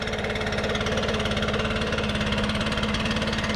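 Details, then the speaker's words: Nearly new 2021 Stihl BR600 backpack blower, 65cc 4-mix engine, three weeks old, idling after a cold start: a smooth, quiet, steady low thrum with no knocks. "Sounds great at idle. It's very quiet. Much quieter than my rev mats."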